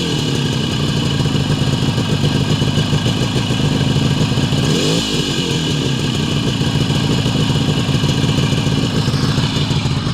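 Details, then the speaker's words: Adler MB250 two-stroke after dynamo fix, before first road outing in many years: steady, even idle buzz with no misfires, knocks or rattles; charge/ignition light off while running, dynamo charging. "As you can see, engine running, charge light or ignition light is off."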